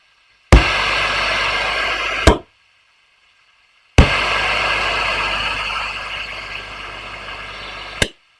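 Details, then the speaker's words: Valve amp with controls dimed, exaggerating the noise: sharp pop at each channel switch, then steady hiss and hum ending with another pop. Switching noise said to be not uncommon; nothing faulty. "okay B of switching noise there um but again not uncommon and again I've got this in an exaggerated state so it sounds worse than it truly is"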